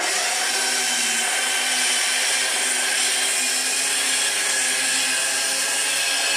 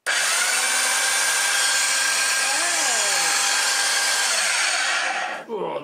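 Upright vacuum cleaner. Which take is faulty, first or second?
first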